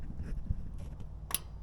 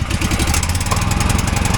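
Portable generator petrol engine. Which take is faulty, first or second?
second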